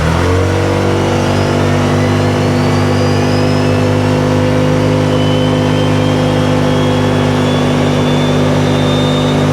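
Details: 2018 Odes Dominator 1000 X2 LT twin, after new spark plugs, accelerating on the road: pulls cleanly with a strong, steady rise in pitch and no stumbling under load. It previously lacked power and topped out at 24 mph.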